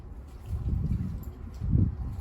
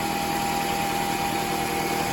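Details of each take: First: 2004 Toyota RAV4 2.4 L four-cylinder petrol engine starts into a harsh metallic harmonic rattle at idle; cause is a worn water pump bearing with slop (bearing slap), not leaking, replaced. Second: 2004 Toyota RAV4 2.4 L four-cylinder idling after water pump replacement and coolant top-up: steady, even idle with a smooth whir and no rattle or knock; the earlier harmonic rattle from worn water pump bearings is gone.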